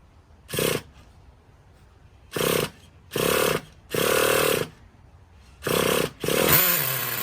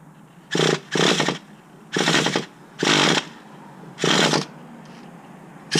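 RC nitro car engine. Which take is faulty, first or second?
second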